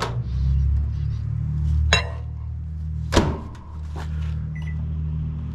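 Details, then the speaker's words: GE microwave after magnetron replacement (previously loud buzzing and no heating): steady, even low hum with no buzzing, a couple of door or turntable clunks; water boiling, working normally. "Run it for a minute. Definitely sounds better. We'll let it run for a minute and we'll see if that water's hot."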